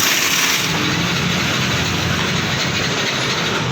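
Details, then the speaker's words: Yamaha NMAX 155 scooter: steady starter whirring on and on, speedometer lights and battery good, but engine never fires; crank-no-start. "Nah, ini motor tidak bisa hidup ya. Kita cek. Untuk speedometer menyala. Di starter tidak bisa ya."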